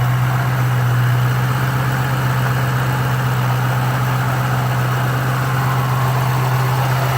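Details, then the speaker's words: 2005-2010 Ford Mustang 4.6L 3-valve V8 after a throttle body cleaning: fired right up without smoke into a smooth, steady low idle, no miss, surge or hunting; normal idle. "and it actually fired right up sometimes it'll smoke but it didn't"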